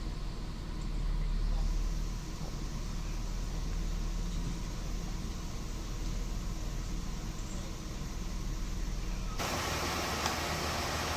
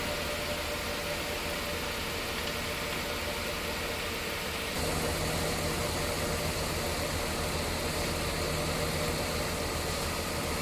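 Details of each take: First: Mercedes-Benz S280 at about 360,000 km idling with the AC on after repair of a leaking refrigerant hose, new drier and compressor oil top-up: a steady, smooth idle and quiet compressor, no knocking, rattle or grinding, cold air at the vents. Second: Mercedes-Benz S280 idling with AC on: louder droning hum from the compressor; refrigerant leaking from an AC line, charge down to about 60 two days after refilling; after line repair and oil top-up, compressor quiet.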